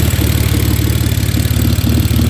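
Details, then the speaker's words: Clapped BMW E46 drift car at idle: deep idle with an uneven stumbling beat as firing pulses drop out; misfire, owner unsure whether a bad injector or wiring, not yet running hot. "Can definitely hear that misfire"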